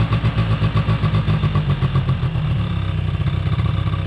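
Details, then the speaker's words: 2005 Polaris Predator 90 two-stroke quad, long-sitting, has a high idle. Spraying brake clean did not raise the idle, and an exhaust-area leak is suspected. Fast putter that keeps ringing high instead of settling; cause unconfirmed. "Gotta figure out where it's coming from. I'm not totally sure, to be honest with you. I sprayed some, what I believe was brake clean, but it never raised the idle."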